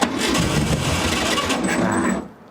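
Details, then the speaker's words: Barn-find VW Beetle sat for decades, plugs and wires good, starting fluid sprayed in the carburetor as it lacks fuel: fast rough cranking with a few sputtering catches for about two seconds, then dies; cranks but does not start. "so right now dad's going to spray a little starting fluid in there I'll turn over the key see what she does"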